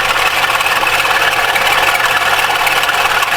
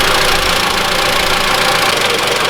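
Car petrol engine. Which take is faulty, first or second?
first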